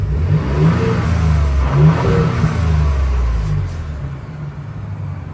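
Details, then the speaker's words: 2019 Ford Raptor stock before blow-off valve and cold air intake install, recorded from inside, several even blips with deep smooth note and faint turbo whistle; healthy, normal revving. "You can still kind of hear a hit hear the turbo a little bit. So I do one more time. This is what it sounds like."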